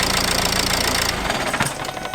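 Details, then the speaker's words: Dacia Logan 1.8L idling: fast rhythmic rattle over the idle, fading at shutdown; not the gearbox but the accessory belt kit, pulleys or alternator extension bearings suspected, to be checked by removing the belt. "This is the noise. But this is not a noise made by the gearbox. It actually comes from the accessories kit."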